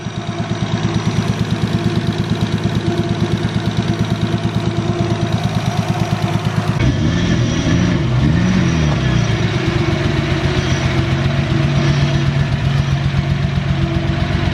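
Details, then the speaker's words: Modified Toyota Supra at idle after overheating, a cooling-system pressure test and bleeding air: lumpy idle with an uneven exhaust beat and occasional dropped pulse; misfiring, with compression and leak-down tests planned next. "The car now is misfiring. I can hear it. It works normal, but I can hear it."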